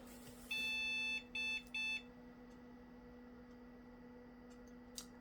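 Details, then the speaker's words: First power-on of a 1998 Gateway G6-400XL (400 MHz Pentium II) after fitting cards and a new CMOS battery: one long and two short POST beeps over faint fan hum, then nothing; fails to boot, memory tested okay. "and I think that means it doesn't [Laughter] work uh let me see here well all the Rams there so I don't know what the uh issue could be"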